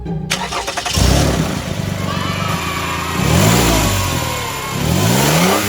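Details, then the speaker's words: Toyota RAV4 run with accessory belt removed to isolate a noise: engine starts and revs up and down cleanly, no squeal or rumble from the front, so a pulley is at fault; one pulley was found noisy with heavy wobble. "So, I turned the engine on, and this is what happened."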